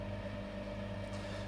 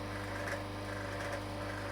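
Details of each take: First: Vevor vacuum pump on a home-made vacuum fruit dryer with cold trap, second attempt, 10 mm pipe and larger-bore fitting: quiet even buzzing hum, constant pitch, no rattles; running normally, vacuum past 0.99, better than the earlier 0.98. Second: Vevor vacuum pump on a home-made vacuum fruit dryer, second attempt, at deep vacuum: steady motor hum with loose uneven rattle about every 0.75 s, possibly vanes chattering, unconfirmed; motor running unreasonably hot but not burned out.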